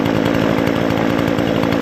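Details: Brand-new Remington Outlaw RM4620 20" gas chainsaw (recall replacement), first start after priming and full choke: steady high buzzing two-stroke note holding even speed with no surging or misses; runs smoothly.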